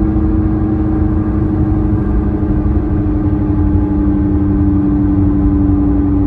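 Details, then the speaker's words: Tata Nexon coasting in neutral: steady droning, helicopter-like hum over road noise, growing louder with speed and in turns; worn front wheel bearing, later replaced. "इसे बोलते हैं कि grinding जैसी आवाज आ रही है या फिर ग्रांग जैसी आवाज आ रही है पर सही बताओ मुझे ऐसा लगता है कि हेलीकॉप्टर उड़ रहा हो या फिर कोई एरोप्लेन उड़ रहा हो ऐसी आवाज आती है"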